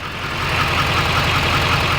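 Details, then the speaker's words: GM LML Duramax diesel, tuned with cold air intake and 5-inch exhaust, cold idle right after oil change: sharp regular tick a few times a second over diesel clatter, from air bubbles in fresh oil. "makes this unnecessarily loud tick as you guys know Diesel's make ticking noises and it's kind of like the thing it's what they do"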